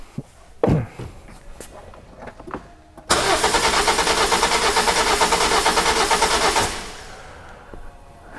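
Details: 2007 Toyota Corolla four-cylinder petrol engine with a rough idle complaint, cranking during scope testing: after a few clicks the starter turns with an uneven beat of about three pulses a second, weak on some strokes. Cylinders 1 and 2 have low compression.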